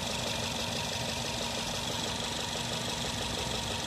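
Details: Nissan at idle with spark plug problem: uneven idle with irregular stumble about three times a second under a hissy background, misfire.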